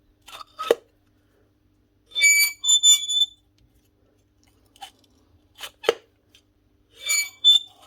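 Short, high, reedy squeals each time the piston is pushed by hand through the chamber; dry, gummed firing chamber.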